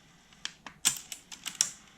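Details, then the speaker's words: 1988 Alpine 5255 cassette-only car deck after drive belt replacement: several light, sharp clicks as the direction button switches playback from forward to reverse. Normal reverse mechanism operation. "pause and then we've got this button which switches the direction so you see the arrow there it's forward Direction press this"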